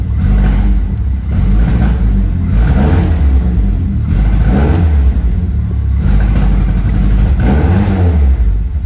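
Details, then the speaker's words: 1971 MG Midget petrol engine just after start-up: rough surging and stumbling, spluttering misfire also seen on the freeway; phone recording. "i actually took some video on my phone the video quality is not very good but you can just hear the noise of the misfire"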